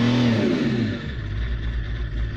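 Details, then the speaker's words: Vauxhall Omega diesel after fuel pump seal replacement: uneven, lumpy idle with wavering low beat and clatter; owner suspects he upset the fuel settings during the pump refit, EGR valve covered; rough running. "unfortunately the car is not running very well I think I may have buggered up the [Music] fueling"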